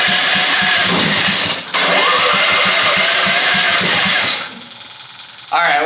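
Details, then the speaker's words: Half-scale NASCAR Mini Cup car on regular gas; steady rhythmic cranking, a few pulses a second, only one little pop, never fires; cranks but won't start, carburetor to be cleaned. "She's trying. Got one little pop off, but that's all."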